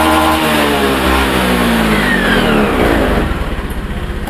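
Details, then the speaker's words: Honda Beat Pop scooter, after DLC reset and fuel pump repair (pump pressure had weakened, causing stutter and dying on throttle): revs rise and fall cleanly with no stutter, settling to an even putter; stutter gone, normal revving. "ya gasnya diblair ini teman-teman bisa lihat sendiri tidak ada terjadi kendala brebet"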